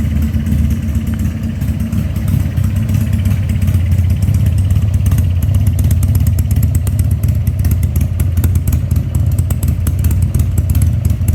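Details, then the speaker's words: 2000 Harley-Davidson 1200 Sportster after carburetor rebuild, restarted with air cleaner fitted: deep lumpy V-twin beat with loping cadence and crisp throttle blips, pulling cleanly and settling smoothly; running normally. "okay guys let's crank it back up one time with the air cleaner on it I guarantee it's going to like that much better"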